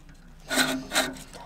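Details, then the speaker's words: Classic reel mower after backlapping and reel-to-bedknife adjustment, paper test: two short crisp snips about half a second apart, clean with no dragging rasp; reel cutting properly with light contact. "Right, let's try it out. Yes. Yeah, it's pretty good. Cutting on the in-betweens."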